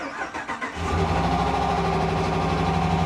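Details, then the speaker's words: Copart vehicle, on start-up: brief cranking, then a rough, uneven idle with a steady drone that sounds abnormal; cause unclear. "That doesn't sound normal. That doesn't sound good. That doesn't sound good at all."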